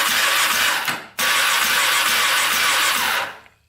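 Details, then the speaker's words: 2004 Polaris Predator 500 quad that wouldn't start, cranked on the starter with a compression gauge fitted and the carburetor open. Spark is good. It spins fast and evenly with a light, hissy crank; the gauge reads zero compression. "Absolutely zero. That's crazy. Well, we've got zero compression. So that would do it. That's probably why it didn't start."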